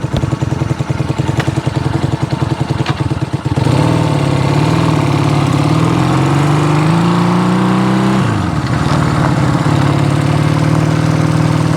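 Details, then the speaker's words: Honda CB200T on its first ride after camshaft and valve replacement: the twin's rising drone stumbles and chops under load, then recovers. The engine is breaking up, with the carburetors suspected. "yeah breaking up that carburetor is no good we're going to figure out these carburetors but it's running"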